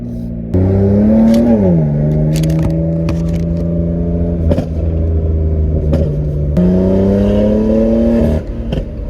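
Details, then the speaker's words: BMW M4 on a drive with new spark plugs, check engine light cleared; strong steady pull with pitch rising evenly through the gears and a shift near two seconds, smooth and free of misfire, just before an unexplained pop sound. "It pulls really well."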